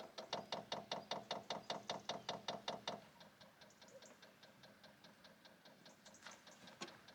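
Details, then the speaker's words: Diesel heater in an off-grid ruin being primed at first start-up, priming method guessed: steady, even ticking about two and a half per second, then quieter ticks as it lights. Normal fuel pump ticking during priming. "so as you can hear that noise is ticking it is priming so we'll give that a little bit of a chance and then we're just going to fire it up"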